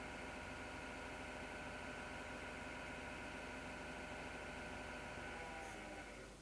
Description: 08.03.2019 Early Friday Night on 02:29h i turn off computer hear roar end after my PC Grinding Noises